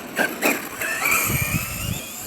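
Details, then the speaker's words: ARRMA Kraton 6S RC truck test run after rebuilding a crunchy, grinding differential, in freezing cold; motor whines rise and fall cleanly with throttle, no crunching or clicking, normal drivetrain operation. "Yes, sounding good so far."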